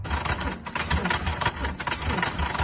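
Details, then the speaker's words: Non-running Porsche Boxster 986 bought at auction: heavy laboured thumps about three a second with no catch, barely turning over; owner unsure whether weak starter, starter not engaging flywheel, or major engine fault; slow cranking. "As you can hear, there's definitely something wrong there. Whether it's a weak starter motor, or whether it's not engaged in the flywheel properly, or whether there's something major wrong with the engine, I honestly don't know."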